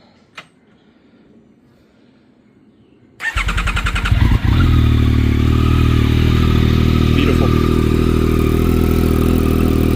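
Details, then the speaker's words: Yamaha R9 motorcycle started in neutral after DNA stage 2 intake, exhaust and 2WDW ECU flash install: short crank, fires at once, then a steady, loud, even idle with no misses or ticking; smells a little richer at idle. "Definitely smells a little richer at idle."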